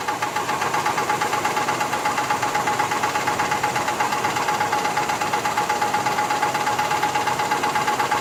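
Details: 1985 Cadillac Fleetwood Brougham at steady idle with a sharp, even knock about three times a second over the engine note; internal engine knock, cause not pinned down.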